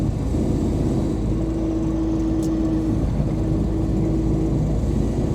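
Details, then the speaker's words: Cammed LT1 Camaro with nitrous fitted but not hooked up and a roughly 3,000 converter, cruising: steady mid-pitched howl from the rear end over road and engine rumble; rear differential howl. "know if you guys can hear that rear end howling it's noisy"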